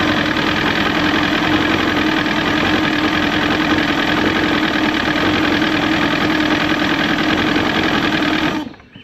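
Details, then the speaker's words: Evinrude 115hp outboard swapped onto a 1973-74 Glastron, warm-up lever set down: steady, even buzz with no knocking or stumbling. Runs well, though the water pump may not be pumping; earlier ticking noted. "And it runs good."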